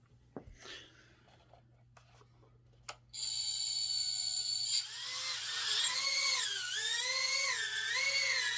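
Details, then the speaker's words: Tina quad after tucking in the receiver antenna that props were hitting: smooth high motor whine rising and dipping with throttle, no rubbing or ticking; normal hover. "all right it's flying very nice"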